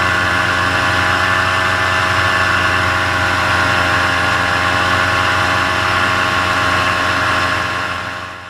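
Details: Paramotor two-stroke in flight, throttle held wide open: steady high-revving buzz with flat RPM and no surging or dropouts. This is the normal full-throttle baseline, recorded before the engine later began losing power and bogging.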